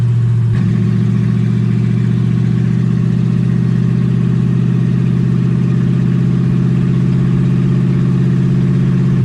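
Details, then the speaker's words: 1UZ V8-swapped Ford Falcon on first drive, warm with radiator hot and gauge about 160: holds a steady idle well above normal, then sags suddenly near the end. Owner unsure why; erratic high idle. "I don't know why idles like that. I need to figure that out."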